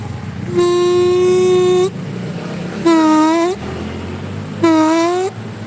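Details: Horn test on a Yamaha RX King after the horn plate was adjusted: three clear blasts, one long and two short, with a steady mid-pitched tone wavering slightly on the short presses. The horn works.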